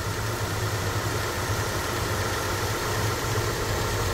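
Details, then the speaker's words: Kia Optima at 155,081 km, engine idling with an uneven, bubbly "gagaga" gurgle as the power steering pump draws air from low fluid, heard while refilling and bleeding after a burst power steering hose was repaired. "파워 오일이 모자르면 시동이 켜 있는 상태에서 가래 끓는 소리가 나요. 가가가가가가 이런 소리가."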